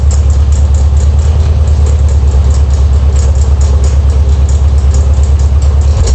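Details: Air-cooled VW Beetle Type 1 at idle. Deep steady idle with a faint regular high tick about three times a second; noise near the alternator pulley, owner suspects an eccentric pulley.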